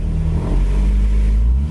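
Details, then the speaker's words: Freshly rebuilt low-mileage JDM B18C swapped into a 2000 Civic Si (EM1), on conventional oil during initial break-in for the rings, revs kept low: a deep, smooth, steady low rumble with no knocks or ticks and good vacuum. It sounds healthy. "Oh, it sounds nice in here. Just doing like an initial braking, keeping the RPMs down."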